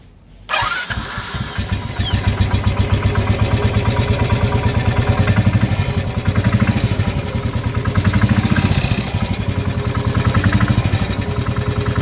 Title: 2016 enfield bullet engine knock